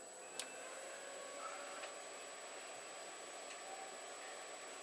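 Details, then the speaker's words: Desktop PC at power-on that intermittently fails to detect screen, mouse or anything else: only a quiet even fan hiss with faint ticks and no POST beep, no display; owner guesses a hardware problem, unconfirmed. "so usually it'll beep at some point if it's going to work and as you can see it's not beeping now"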